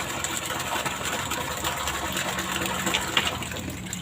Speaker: artinya tadi kita dengarkan ada ada suara air turun kemudian ada gelembung udara artinya berarti air yang sudah terangkat di dalam pipa hisap ini kemudian begitu masih dimatikan air turun kembali